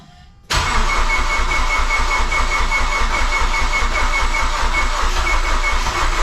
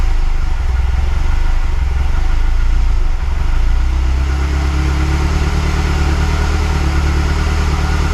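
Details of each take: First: Mazdaspeed6 engine after a teardown and rebuild, first start attempt after aligning the crank position sensor between the 20th and 21st teeth of the harmonic balancer: steady, even cranking that never catches. Cranks, no start. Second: Mazdaspeed6 engine, freshly rebuilt with honed cylinders, at first start-up after rebuild: a deep steady idle with smooth pitch rises when revved. It runs cleanly.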